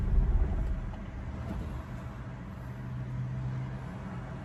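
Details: 2002 Ford Focus SVT, warm after 15 minutes: low, uneven, loping idle close to stalling, dies unless gas is pressed; fuel pump, filter, injectors, plugs, wires, MAF, PCV, IACV, O2 sensors already replaced and throttle body cleaned; cause not pinned down.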